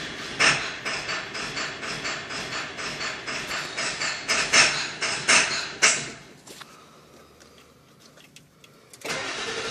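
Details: 7.3L engine hot: about six seconds of steady cranking with no firing; hard starting when hot, cause not yet found.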